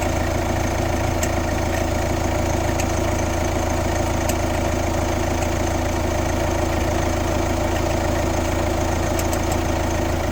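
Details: Kia Ceed 1.6 CRDI 115 D4FB diesel at idle: loud, uneven rhythmic knocking about twice a second over the diesel clatter; weird engine noise, source unknown.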